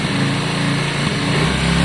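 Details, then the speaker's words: Yamaha Virago 535 V-twin after carb cleaning and re-jetting, cold start on choke: an even, steady idle with no stumbling. Normal cold idle on choke. "is there any choke on use choke for 30 seconds oh i think that sounds better"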